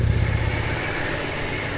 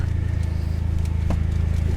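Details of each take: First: Petrol engine on a salvage-auction car with 104 (thousand) miles, first crank after long storage: uneven low knock the owner calls rod knock, settling to a steadier idle after running a bit; oil pressure building, knock gone. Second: Copart SRT with 104 (thousand) miles, sitting unused: even, steady pulsing idle with no sharp knocks once warmed, initial rod knock gone; rpm hangs up, suspected throttle position sensor. Normal idle.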